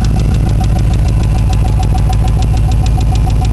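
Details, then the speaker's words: Engine started in cold weather with warm batteries, fresh gas and ether, warmed a couple of minutes: quick sharp tick about three per second over idle; owner suspects valve train under the valve cover, unconfirmed. "Well, it's warmed up for a couple of minutes, and that tick is back."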